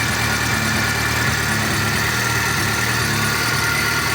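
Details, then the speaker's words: VAZ 2.0-litre engine at hot idle, oil pressure dropping: steady idle with a faint light tick-tick from one corner of the head; suspected failing hydraulic lifter that is silent when cold. "И снова раздается тихий звук «тук-тук-тук» . Но, чёрт возьми, неужели гидравлический толкатель может стучать на горячем двигателе и при этом идеально работать на холодном?"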